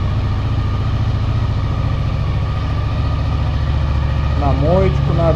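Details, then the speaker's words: 2000 Honda VFR 800 fuel-injected, after reseating the loose ignition coil connector and fresh oil: steady even cold idle at slightly raised speed with no misses; all four cylinders now firing. "Заработал! Сейчас кататься поедем. И обороты выше стали. Правда, он сейчас холодный."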